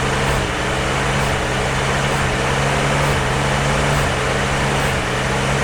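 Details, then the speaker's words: Jeep CJ5 not started in about 34 years. Rough, uneven idle with a loose stumble about once a second under the exhaust roar. Rough running; owner suspects old gasoline left in the lines. "well that's it's that old gasoline in there you know we didn't clean that crap out"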